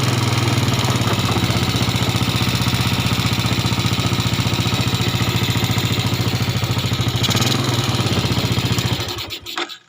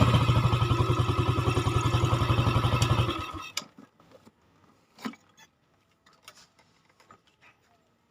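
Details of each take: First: Yamaha Jupiter (Robot/Salib) before repair, after an earlier rebuild with a replaced block: rough, uneven, harsh idle before shutdown. It reportedly gets rougher when hot and smokes lightly. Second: Yamaha Jupiter (Robot/Salib) after a rebuild with a Mio connecting rod and piston: firm, regular single-cylinder thump, then shut off. Standard compression gives a fuller idle than the very bad sound before.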